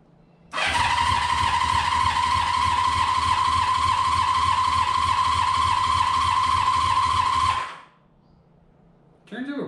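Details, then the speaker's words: Honda CB500 four-cylinder cranking on the starter; steady starter whine, engine spins fast and light with soft even pulses, turning over "a little too good"; owner suspects low compression, oil light now working. "almost almost a little too good it's like somewhat concerning as far as uh we have good compression or not"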